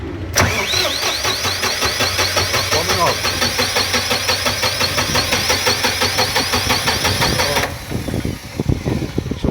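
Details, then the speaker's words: Diesel engine generator that won't start, battery, starter, oil and fuel checked okay: starter cranks steadily about three turns a second for several seconds but never catches or fires; crank no start. "So, I'm going to press it. You can see it's cranking. I couldn't start."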